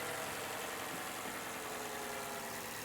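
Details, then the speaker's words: Mercedes Sprinter van, engine started after fuel-line check: steady, even idle with smooth low hum, no knocks or misses; engine runs and sounds good, though battery is completely dead. "The engine is running. It sounds pretty good. Sounds pretty good."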